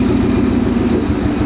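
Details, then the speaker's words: Supercharged 2013 Mustang GT V8 at idle during a coil-pull test: lumpy, uneven chuffing beat with regular stumbles as one cylinder drops out; felt down on power when driving. Owner suspects a failed coil, not confirmed. "yeah there it is that's fine that's misfiring"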